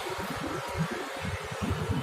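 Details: Table fan running at full speed after its weak 2.5 µF capacitor was replaced (it had run slowly): steady fan rush with low, uneven airflow buffeting, no rubbing or rattle; spins up fast and runs normally.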